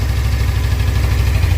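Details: Suzuki GSX250R fuel-injected bike after fuel repair, idling on low fuel for the first time; previously it stalled once fuel dropped to mid-tank. Low, even burble with a steady beat, no stumbles or tapping; no fuel leaks seen. Normal idle.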